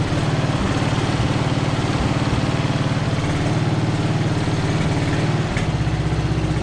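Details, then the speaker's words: Free Craftsman riding mower, first start off choke: small single-cylinder engine chugging at steady, slightly uneven idle while fuel leaks out the line; cranked up easily despite the leak. "We are definitely leaking some fuel here, but that cranked up pretty easy, even without the choke on."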